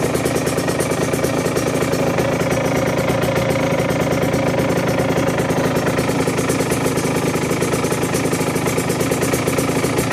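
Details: 2009 Aprilia RS125 two-stroke motorcycle idling unevenly, a fast knocking beat running under its rattly exhaust note; rough idle with knocking, gearbox also in question.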